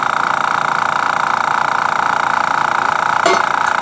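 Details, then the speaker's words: Master Airbrush TC-40T compressor running with the regulator at its factory setting of about 60 psi, too high for airbrushing (30–35 psi intended), pressure pushing the line off: steady even motor hum with fast regular pulse, no knocking. "There's all the pressure in the lines making it fall off of it. Wow. What on earth is it set on at the factory? No, that's too high."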